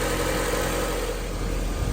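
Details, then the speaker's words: 1990 Honda CRX HF with a fresh CRX Si engine swapped in, warming up, timing not yet checked: even, steady idle hum with no ticking or stumbling; sounds much better, normal idle. "yeah sounds a whole lot better now don't it yes just give it a minute to warm up"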